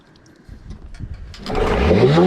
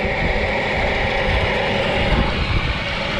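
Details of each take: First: Rebuilt Nissan Tohatsu 9.8 two-stroke outboard, new rings, fresh gas, run in a test tank: catches then revs uncontrollably up to the rev limit with no throttle control; misadjusted spark advance. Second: Rebuilt Nissan Tohatsu 9.8 hp two-stroke outboard, new piston rings and new carburetor with mixture not yet set (single air-mix and idle adjusters): busy buzz under wind, not quite settled, then stalls.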